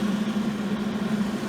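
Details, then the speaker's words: Millermatic 141 welder cooling fan after cooling vents were bent open with pliers to blow downward and a shim added to stiffen it: steady buzzing hum with slight rough flutter; still vibrating, sounds only slightly better. "I took some pliers to the cooling vents kind of opened them up a little better had them blowing downward I think this shim work is going to do it may break free over time sounds a little better but not much"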